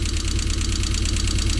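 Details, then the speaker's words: MG with Rover engine just started after diagnosis and repair work: low, lumpy, uneven pulsing idle over steady exhaust drone, engine shaking quite a lot; owner suspects a misfire, possibly three cylinders, unsure if normal; rough idle. "so the engine i don't pick that up but the engine is shaking quite a lot now you do chalk a lot of this stuff up to just well it's a rover but i'm not sure if that's normal"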